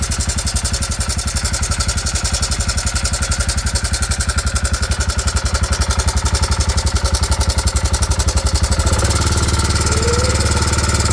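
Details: 2009 Arctic Cat 400 ATV idling with a strange noise: heavy, loping thump of roughly four beats a second with an unusual clattery edge.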